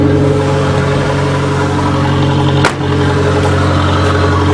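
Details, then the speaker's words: Aries turbo race wagon with very low-restriction exhaust, cold start after sitting a while, in neutral warming up on high idle: loud steady fast idle, deep even exhaust drone, no misses or knocks; normal cold high idle. "It's got a very, very low restriction exhaust, so it's running on high idle, and that's what it sounds like."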